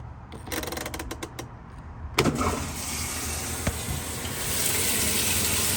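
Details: Roper washing machine after timer replacement: a few sharp clicks, then a steady hum and rushing water with no grinding or knocking; washer running its wash cycle normally.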